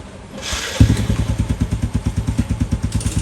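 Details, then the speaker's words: Motorcycle after flooding, fresh 10W40 Repsol motor oil, kickstarter pumped about three times to circulate oil before starting: fires up into an even, quiet thump about three per second, no knocking or rattle; very quiet, smooth healthy idle. "Walang kaingay-ingay ha. Ha? Swabing-swabe yung langis natin."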